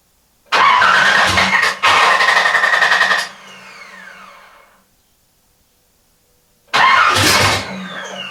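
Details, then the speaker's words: Nissan Z's first start attempt in about 1.5 years, with ECU rewired from an LS2 pinout and crank angle sensor moved to sensor ground: two cranking bursts with uneven firing that never catches; no start. "all right guys as you can tell we didn't have any luck this morning it is definitely getting closer it is trying"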